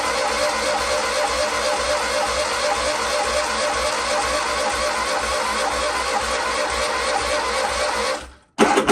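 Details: 126 off the road over 10 years, borrowed battery, petrol poured down the carb, ignition on: steady churning crank about eight seconds that never fires, then cuts off; cranks but won't start, later runs briefly then runs out of fuel.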